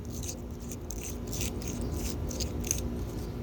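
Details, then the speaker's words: Hand-spun wheel bearing removed because of noise on the highway: uneven gritty crunching and scraping instead of a smooth quiet spin; worn bearing being replaced. "And one of these bearings where it's making noise, hear it? Hear it?"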